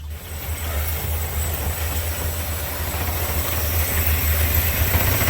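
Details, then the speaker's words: Chevrolet square-body pickup V8 after a small amount of diesel was added to the nearly empty tank: brief start then deep, steady, even idle with no stumble or misfire; normal idle. "we're coming to start up the pickup truck Cherry Bomb is her name takes off with a nice Idol"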